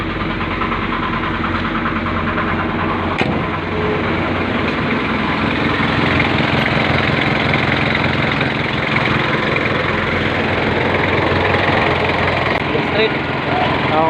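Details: Ford diesel with hard starting, remedied by replacing glow plug: engine catches and settles into a steady, even idle with smooth constant rumble and no stumbling; starts and runs normally.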